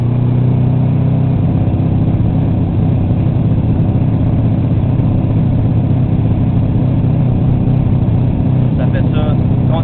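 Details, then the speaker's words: Subaru EJ22T turbo engine held around 4,000 rpm in any gear: loud revs with uneven stumbling beat and irregular anti-lag-like pops instead of a clean pull; high-rpm misfire, cause unknown despite most things tested. "Bon, donc, on a un problème de misfire à haut RPM dans n'importe quel gate."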